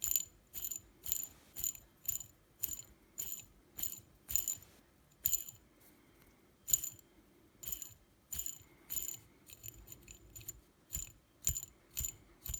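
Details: T-Motor F40 Pro 2400kv brushless motor: repeated short spin-ups, each with a dry gritty ratcheting rattle over a faint whine, caused by bad bearings.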